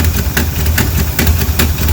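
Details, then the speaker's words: 1978 Jeep J10/J20 V8 just restarted after a rebuild: loose, lumpy idle with uneven low thumps and irregular pops while the carburetor is adjusted; running on 5 of 8 cylinders due to carburetor issues, fixed after carb work. "lance trying to uh turn the carburetor a little bit as you can see we have a misfire so we still got a little bit of work to [Music] do"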